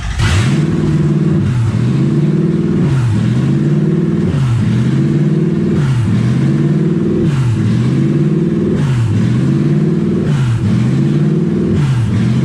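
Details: Toyota 1UZ V8 in a Ford Falcon, first start, in neutral, low on coolant: idle won't settle, revs swing up and down about every second and a half; owner guesses no coolant through the idle air control valve.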